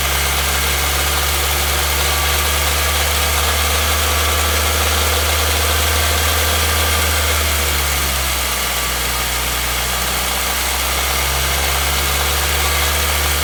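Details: 2016 Nissan Versa (HR16DE) with only 449 km on the odometer, at steady idle: an even, rapid light knock rides over the low engine hum. The engine is still knocking at idle and the source is not yet pinned down.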